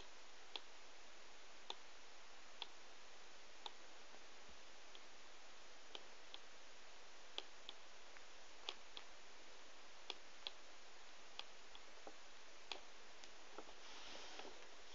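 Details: Laptop with Intel i7, Windows 7, Nvidia GeForce 650M, 8GB RAM: faint sharp clicks roughly every second in a quiet room while it fails to start; cause unknown.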